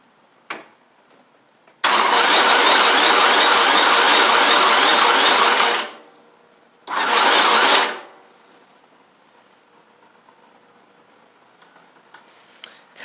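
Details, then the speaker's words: Murray 24-inch riding mower with Briggs 875 carburetor, water in the fuel and rust in the engine, valve clearances checked: two starter cranks whirring steadily without a single fire, even with good gas and carb spray. Cranks but won't start. "this is a little frustrating y'all um is doing everything it needs to but it will not fire for some reason the gas and it smells good I've done carb spray right down the throat and it still won't hit"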